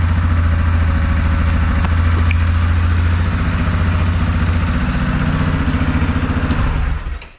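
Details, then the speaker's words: 2001 Yamaha Kodiak 400 ATV, single-cylinder, after replacing the whole one-way starter bearing with a new OEM part to cure bad starting noises; warm after a full heat cycle with the fan cycling. Even, steady idle with no knocks; normal idle. "It seems to be in perfect working order. Listen to it. It's amazing."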